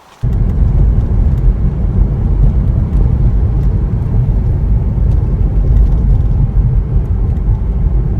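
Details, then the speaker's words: Porsche 986 Boxster test drive after replacing rear tuning forks (lower control arms) and sway bar end links; steady road rumble and tyre noise, rear hollow clanking gone over bumps; suspension now healthy. "all right well as you just heard from that short video clip the sound is now gone it is such a relief that when I'm driving this car I no longer have to hear that clanking sound"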